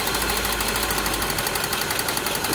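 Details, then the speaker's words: Toyota Soluna running rough (brebet, limping, blub-blub exhaust) during a plug-wire pull test: pulling cylinder 3's lead drops rpm toward stalling, while cylinder 2 showed no change, pointing to a misfire; fixed by replacing the spark plug wires. "Nah ini nah ini mau mati ya ya tuh ini kayak mau mati kalau kita cabut untuk kabel businya"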